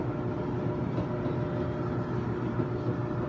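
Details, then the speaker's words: Kenmore stackable front-load washer and dryer: even low motor hum with soft tumbling thumps and no squeal or scraping; the dryer is running normally with no issues. "so it's a nice looking washer and dryer as you can see no issues it's working good"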